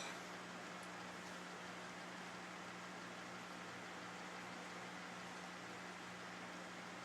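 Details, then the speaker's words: Tube amplifier after replacing cheap capacitors, tubes not red plating or running hot: only a quiet, even hiss with a faint low tone and no mains hum, a normal idle. "No humming. Everything sounds good."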